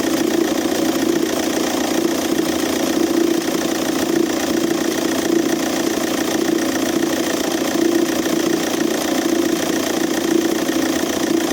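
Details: Audi A3 8P 2.0 TDI BMM diesel idling: uneven knocking rattle about three times a second from a seized alternator overrunning clutch pulley, sounding like a dual-mass flywheel or engine knock.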